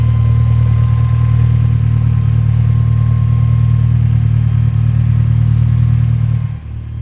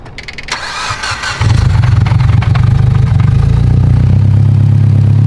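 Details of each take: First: Mitsubishi Evo 10 on a roadside stop, hot: deep, loud idle with uneven pulsing beat about four per second, lumpy like missing a cylinder; owner suspects heat, nothing visibly wrong, still drivable. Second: Mitsubishi Evo 10 just after fitting new ungapped Autolite spark plugs: starter whirr, engine catches within a second and settles into a deep, steady, even idle; runs much better, normal start and idle.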